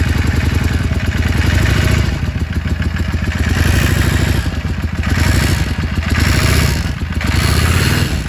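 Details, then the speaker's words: Yamaha Drag Star XVS650: loose, uneven clatter over a lumpy V-twin idle, with the engine swelling up and down slightly. Engine clatter, source unknown and diagnosis sought. "Vou tentar gravar o barulho dessa Dagstar 680 para ver se eu consigo alguém para me ajudar com o diagnóstico."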